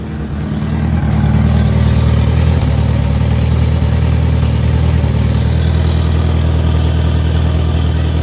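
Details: Turbo Honda Integra idling after a quick oil change, with earlier high-rpm cutting suspected from the fuel pump and oil pressure reading good: steady, even idle, smooth low drone, no knocks or misses. Normal idle.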